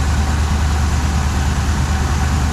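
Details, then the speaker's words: 1979 Suburban V8 with new dual exhaust, idling outside: low lumpy idle with an uneven exhaust beat from a suspected cylinder misfire; temp gun shows cylinder 7 about 100–150 degrees cooler than the others. "so well I got her outside definitely sounds like it could be missing these cylinders"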